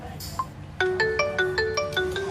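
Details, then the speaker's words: Xiaomi Mi Note 5 with intermittent, fading ringer problem, after the ringer/speaker unit was replaced; clear ringtone at full volume, no buzz or distortion: normal ringtone playback. "कोई problem नहीं ए रही बिल्कुल मस्त चल रहा है और रिंगटोन हमारी"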